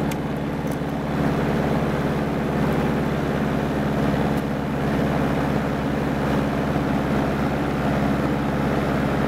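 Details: Honda Harmony 215 mower after a third carb cleaning (idle mixture screw broke, port uncleaned), running warm: steady, even hum with no surging or misfire, running smoothly.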